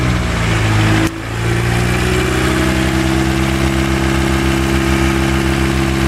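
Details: Steady diesel idle with a persistent light tick riding on the clatter, heard on an EcoDiesel Jetta that still ticks after a new rod bearing and new lifters fitted less than 100 miles ago; source of the tick is unknown.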